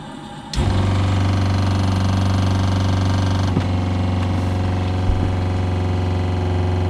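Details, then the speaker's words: RV fresh water pump after noise-reduction fixes, recorded inches away: kicks on to a steady low hum with a soft even pulse, no rattle or buzz; normal pump running, quiet. "So you can hear it pumping, and I mean, I'm inches away and it's not that loud. And if I have this door closed, it's really pretty silent."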